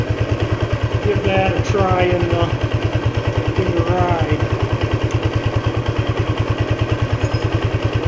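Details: Restored 1976 Honda XL175 single, first ride after restoration with the clutch adjuster just set: steady, even beat around three pulses a second, no slipping or flare; clutch and engine sound healthy, normal running.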